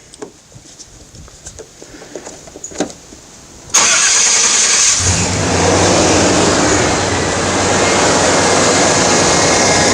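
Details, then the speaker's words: 1989 Chevy K1500 just after reinstalling the alternator and reconnecting the battery: the starter cranks and the engine settles into a smooth idle with no jet-like whine. This is how a normal alternator should sound after replacement. "so hopefully you can hear the difference how that's that's the way an alternator is supposed to sound"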